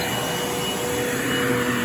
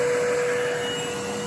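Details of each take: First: Bissell Lift-Off Revolution Turbo Select 3760-T bagless upright vacuum (made October 2005), running with brush-roll motor switching on when reclined: steady motor whine with airy rushing swelling and fading; indicator half red before hose blocked, owner suspects a clog somewhere. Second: Bissell Lift-Off Revolution Turbo Select 3760-T bagless upright vacuum, made October 2005, running: steady motor drone with one clear constant tone, nothing rattling or surging. Normal running.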